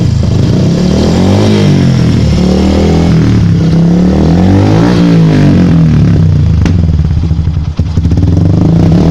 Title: Yamaha Byson, walau sudah di tutup kabel ais nya tetap nembak nembak suara knalpot, ada solusi lain?